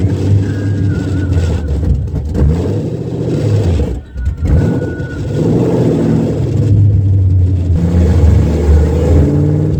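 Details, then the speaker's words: Long-tube headers with H-pipe not yet connected, car on the ground after header, motor and transmission mount install: deep, loud V8 rumble with choppy lope, swelling and easing as revved; raw, unmuffled open-header exhaust. "I do still need to connect the h-pipe but I definitely want to give it a rip one time with open headers just to see what that sounds like so you'll be hearing that a little bit"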